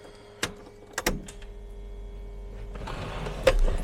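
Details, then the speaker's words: Late-80s/early-90s barn-find Jaguar XJS V12 (Marelli), sat for years, runs rich and stalls; after reconnecting the ECU, with the key on, clicks and then a steady electric hum build: just the brake hydraulic pump charging normally. "Got all that plugged back in and the ECU. The other pump that you're hearing is just the brakes."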